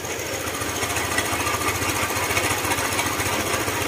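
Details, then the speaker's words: Honda ADV150 scooter engine with tensioner removed: sharp metallic tapping about three a second, following the throttle, from the valve train; camshaft knock, though another shop had blamed crankshaft side bearing. "yan yung ingay nung makina crak crak crak crak ba ganon kasi isa rin siya nagpapa Inay to"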